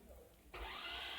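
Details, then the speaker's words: 2001 Toyota Noah, 1AZ-FSE coil-on-plug engine, injectors firing constantly with key on, cylinders flooded: cranking with spark plugs removed gives a smooth high whine like a grinding machine, no compression chug. "I try to crank for you here is just a wine like a grinding machine instead of the usual cracking sound"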